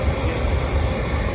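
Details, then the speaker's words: MiniMax NT pool heater after a replacement part cleared error code E05, in heat mode with the display showing 64: steady, even low burner roar with no surging, popping or flutter; fires and runs normally. "it sounds like it's trying to start and there went she was not doing that before so it's cool"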